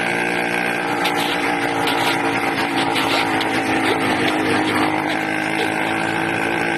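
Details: 80cc two-stroke engine with a loud, raspy buzz wavering unevenly in pitch, running rough and erratic; owner suspects a carburetor problem with a leak at the intake manifold, not confirmed.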